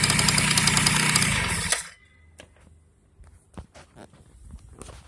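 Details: Yamaha BWS 50 (2JA) scooter engine runs with a steady, fast knock of about 200 a minute, then shuts off; the knock's cause is unknown.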